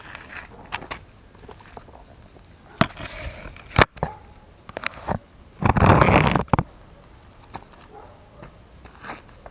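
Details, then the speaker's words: E-TWOW S2 scooter rear suspension worked by hand after Teflon washers were fitted between the swingarm and its bushings: only dull knocks and rustles, the earlier squeak gone. "ставил тефлоновые шайбочки между маятником са теперь скрипа нет"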